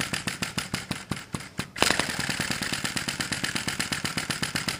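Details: Sai Hu V1-45 flame-licker vacuum model engine fueled with denatured alcohol, cylinder warming after several minutes of start attempts; slow uneven puffs, then a quicker steady chuff about ten a second as it nearly catches: engine stumbling on start-up.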